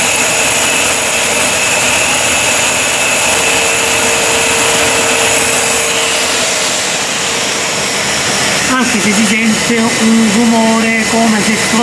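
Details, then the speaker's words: Ariston 8 kg Class A tumble dryer, noisy on arrival: steady high rubbing whir through the motor spin, growing slightly near the end; worn motor bearings confirmed, motor must be removed and bearings replaced. "noise a prolonged sound six In my opinion it 's done now it's increasing In my opinion it comes from some bearing hear well confirmed eh bearing so the bearings need to be replaced"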